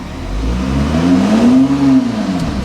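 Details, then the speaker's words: VW Touareg automatic tried in gear, no power steering: revs climb and hang high before it finally moves, needing about 3000 rpm, later misfiring; gearbox slipping, owner suspects low transmission oil. "lazy to move unless it's just low on oil in the gearbox. Have to rev it a lot to get it to move. Finally does."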